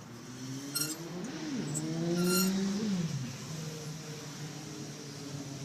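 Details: Squeaking from the engine bay: a squeaky tone rising and falling with engine revs, plus short high chirps over the engine sound; squeaking noise.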